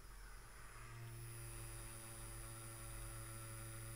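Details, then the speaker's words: Hubsan Zino Mini / Exo Mini Pro drone gimbal powered on but stuck pointing up, not knowing its home point (IMU out of whack, needs gimbal calibration; error 0x0080 expected but not shown): steady low hum/buzz with faint high whine, gimbal twitches. "so you can hear a bit of a hum there I'm not sure if you can hear it but your point we're pointed up it's just stuck in that up position so it does not know its home point I'll see if you can hear the buzzing"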